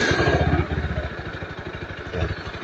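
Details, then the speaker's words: NS160 FI single-cylinder motorcycle after repairing a hunting idle; the TMAP sensor was not replaced. Quick, even putter with a steady beat that no longer hunts or surges; normal idle. "normal na oh. Y'yung menor niya normal na. Hindi na yung sumasayaw sa"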